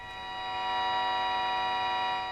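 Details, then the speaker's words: Jaws Mark 2 CB radio with no TX or RX, during receive-coil alignment: thin steady buzzing tone swells up through hiss as tuned; reception returning but still faint. "got some noise okay let's do the next one oh it's getting louder"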